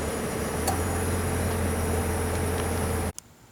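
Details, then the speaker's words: Car on a road test after a loose exhaust bracket at the tailpipe bend was repaired with J-B Weld high-heat epoxy putty and cured 12 hours; steady road and engine drone with no rattle or tapping underneath; exhaust rattle gone. "I did a test run to see if I could hear any noise. And I don't hear anything, so I'm going to say that that bracket is fixed."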